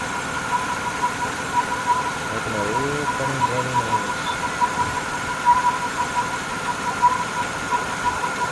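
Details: Holden VY Commodore 3.8 Ecotec V6 at idle: steady mid-pitched hum over an even idle, unchanging; source unclear; engine humming noise.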